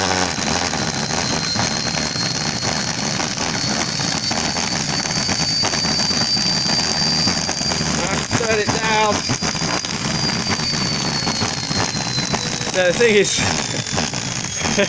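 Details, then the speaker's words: Salvaged universal washing-machine motor on bench at high speed, needs variable control or it over-accelerates: steady high whine with brush hiss, no knocks or scraping; normal running at high speed, spinning freely. "thinking to these universal motors once I start going they'll they'll just accelerate and decelerate so you do actually need a variable control on those"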